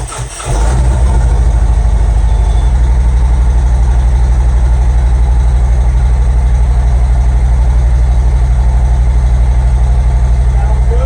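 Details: Harley-Davidson M8 just after new spark plugs and plug wires were fitted: catches on the first crank and settles into a strong, even, loping idle with no misses. It starts and runs healthy.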